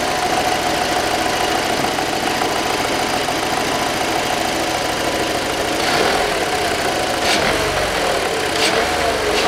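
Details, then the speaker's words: 2007 VW Passat B6 2.0 after work on faults P1400, P3089 and P1063 (EGR valve and regulator): the hum heard earlier at start and on revving is gone, and the engine runs with a steady, even note. Normal running. "лучше все никакого гула нету ни при старте не при перегазовке"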